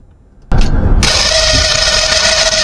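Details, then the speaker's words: Lionel whistle with frayed wiring, motor checked by activating the relay: the small motor spins up into a harsh, gritty whir with a steady high whistle over it; the motor is dry, unlubricated for a very long time. "That motor is going to need some serious work. You can tell that this hasn't been lubricated in a very, very long time."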